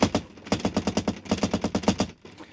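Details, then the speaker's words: Mobilvetta motorhome at 1,512 miles, unsecured door fly screen twanging and bouncing in its frame; quick tinny rattling taps, roughly eight a second; finding: loose fly screen rattle. "as you can see it just sort of twangs around bounces off it the entire time and the only real way of well not fixing it but subduing the noise slightly is to just yank it and bend it all the way around your handle"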